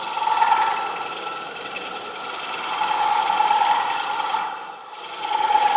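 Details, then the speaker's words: Wood lathe turning a shaped 10-inch themed platter: a rasping buzz comes and goes as the tool meets the uneven rim; tool chatter on the interrupted cut, normally a warning sign. "That chatter would be a warning sign that something's coming out real soon if I wasn't using this. Does that make sense? Normally, you would find that unacceptable to hear that kind of chatter."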